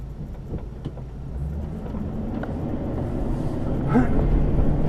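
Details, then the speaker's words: Old Ford F250 driving: road rumble rising with speed, a few sharp irregular clicks and rattles over it early on; loose trim or body rattle, cause unknown. "So, as you can hear, there's one or two rattles, but then again, it's an old truck, and it is."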